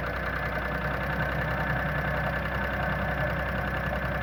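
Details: Previously repaired Audi A6 petrol V-engine idling with loose clattering tick: hydraulic lifters knocking from oil starvation; cylinder head found dry, condensation water under the cover, oil pressure and filter suspected.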